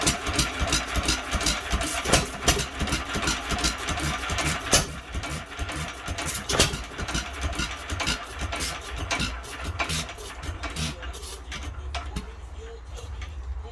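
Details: Old ball-governor hit-and-miss engine, believed a 1 1/2 hp Hercules, first start attempt in many years: sharp uneven firing snaps about three a second, running too fast with fuel delivery problems still present.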